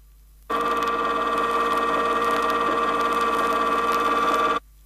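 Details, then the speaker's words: 1970 Chrysler rear axle, pinion moved out of the drive gear in 0.002-inch steps until the contact pattern reaches the extreme tooth ends: steady harsh tone, objectionable gear noise; rear axle gear whine from incorrect pinion depth. "increases at this point the sound of the gears is definitely objectionable and could be classified as noise to further emphasize how pinion depth can cause rear axle noise"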